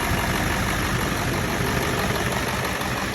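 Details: 7.3 Powerstroke diesel truck, fully warmed up, restarted after injector shimming had fixed its cold no-start, with a new starter also fitted: steady, even clatter at idle with no stumbles, misses or surging; normal idle.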